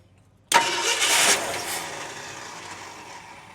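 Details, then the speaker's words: Barn-find 1971 Ford F350 Crew Cab that sat for years, run on a primed auxiliary fuel feed with the distributor left loose: sudden crank-and-catch burst that fades without a steady idle; hard start, timing suspected slightly off, and a major tick (lifter or rod suspected). "Okay, I'm not I'm not totally disappointed. She actually fires up and runs."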